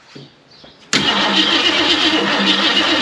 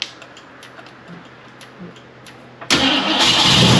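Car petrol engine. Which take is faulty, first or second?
second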